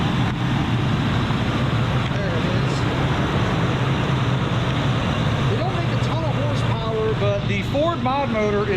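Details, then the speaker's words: 1994 Lincoln Town Car, 4.6 liter Ford mod motor V8 (older metal intake), 158,065 miles, idling, heard from outside the car; soft steady even hum, no ticks or misses; whisper quiet despite the miles. "let's step outside and listen to that 4.6 liter she is whisper quiet despite having some miles"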